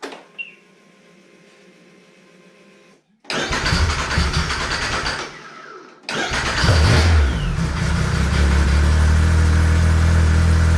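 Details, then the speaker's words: 2014 Arctic Cat CR 7000 snowmobile that started in reverse; after the engine's 180-degree wrong position was corrected, it cranks briefly, catches right away and settles into a steady, even idle with no grinding; normal start and idle. "there you go guys that was the problem the motor was 180 degree on the wrong position"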